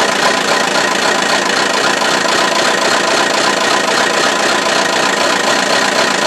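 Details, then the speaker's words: Buick Verano 2.4L Ecotec non-turbo run with no oil and no belt or alternator, temperature rising and steam on the upper hoses: a loud, harsh metallic clatter over a ragged idle. Bearings are rattling from oil starvation as the engine dies. "oh my goodness this thing sounds very very unhappy but it's still running"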